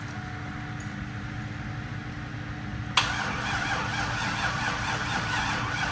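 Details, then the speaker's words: Freshly swapped 6.0L LQ4 V8 in a 2002 Trans Am, first start. About three seconds of quiet cranking, then it catches rough and uneven, like an E85 cold start. Long cranking on start. "Kind of sounds like an E85 cold start. Just doesn't want to fucking go."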